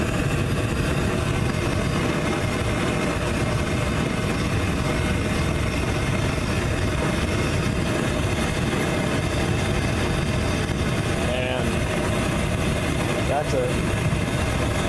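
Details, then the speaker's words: Frosty T burner (1-1/4 to 3/4 bell, 1x3/4 tee with 1x1/2 bushing): steady even roar with deep rumble, no popping or surging; bushing removed it backfired wildly, air pinched down gives a stable cone. "much more stable cone so that's what I'm going to go with"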